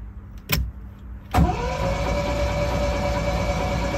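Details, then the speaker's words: Long-stored MGB GT being recommissioned: after a click, the starter spins the engine with a steady, even whir and no knocks while cranking to build oil pressure; the oil pressure comes up fine. "allez on va essayer de de voir si la pression d'huile monte"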